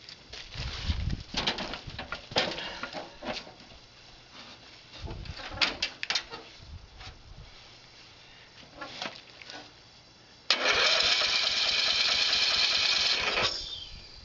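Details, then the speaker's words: Murray with a Power Built 12.5 engine, first start after four months sitting in cold weather, cranked with ignition off to circulate oil: the starter whirs evenly and strongly for a few seconds without firing; battery and cranking healthy. "So I'll turn it over a few times if the battery's good, and then I'll turn the ignition on, and then I'll fire it up and see if it actually starts."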